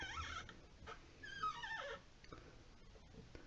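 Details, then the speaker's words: Delta 25770LF two-handle washerless faucet, about 10 months old: a whimpering, gliding squeak as the hot-water handle turns, from a dry cartridge O-ring, fixed by lubing or replacing the O-ring. "the hot water side is hard to squeak should be able to hear"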